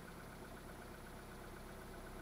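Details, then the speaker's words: Mitsubishi 2.0 GDI 4G94 after clearing P220 and P1225 throttle codes (suspected throttle body position sensor): smooth, even idle, steady low hum, no misses or hunting; already running closed loop, no faults. "It's actually running closed loop already, so."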